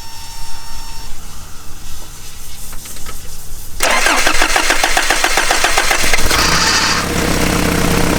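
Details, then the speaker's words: 1986 Toyota 4Runner at cold start, high revs with throttle blips: the engine catches, then a short high-pitched squeak rises over the revving, occurring only at high revs when cold. The owner suspects the clutch fan. "when I was doing that I heard this squeak noise and I quickly found out that it was only during a high Rev at a cold start"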